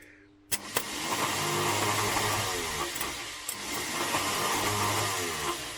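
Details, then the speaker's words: MK3 Ford Cortina Kent engine, previously seized, starter re-freed while rocking and pulling on a bar: a click, then smooth even whirr; the rattly bearing noise has stopped. "by the way we've now re-freed the starter"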